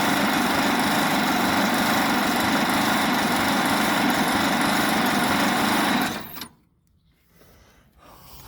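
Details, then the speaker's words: 1927 Pirsch fire truck engine, first start since about 1994, carburetor and packing leaking, oil in cylinders; busy steady running for six seconds then abrupt cut-out; suspected lost spark or wrong fuel mixture, not confirmed; engine stalls after running. "think we lost something there we go we lost Spark I don't know not enough in the gas too much gas"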